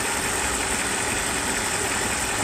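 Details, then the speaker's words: 1994 Mercedes S420 V8 after misfire repair, idling late at night: even, steady hum with no stumbles, skips or shakes; a can set on the engine cover does not fall. "So the engine is running. This is 94 S420. So now I want to show you that the engine is not misfiring anymore."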